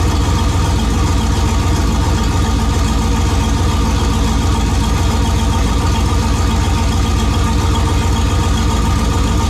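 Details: AWD turbo race truck with new fuel injectors, warming up after start; deep, loud, even idle pulsing about 3.5 times a second, no stumble or miss, healthy running; trans brake and reverse then tested fine.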